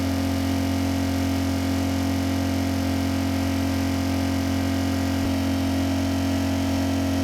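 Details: Repaired Kipor KGE 1000Ti inverter generator, warmed up, near full load (THD 2.3%): steady, even drone at a constant pitch with no surging or hunting. Normal running under load.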